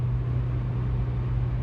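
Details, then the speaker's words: 1987 Toyota Corolla FX16 with stock exhaust, Magnaflow catalytic converter and cheap Totalflow muffler at steady 70 mph highway cruise: smooth even low rumble, no cabin drone; a heat-shield rattle is suspected elsewhere. "we go there's 70 miles an hour is no drone at all I like that"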